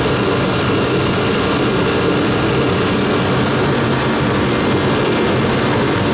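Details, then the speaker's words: Procom 110VT turbo heater, bought used and repaired, on high fire at 120,000 BTU: steady, even roar of burner and fan with no surging, popping or sputtering; it is due to drop to 60,000 BTU after two minutes. "right now it's running at 120,000 BTUs and we'll see if we hear it slow down"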